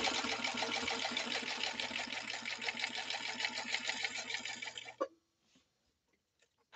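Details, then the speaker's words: Husqvarna 21A sewing machine after workshop repair of a failed motor capacitor, stitching three to four ounce leather: smooth, even, quiet running at about three stitches a second, then stopping; normal operation. "okay here we go let's listen to this machine run totally quiet in the workshop and listen to it do its job beautifully"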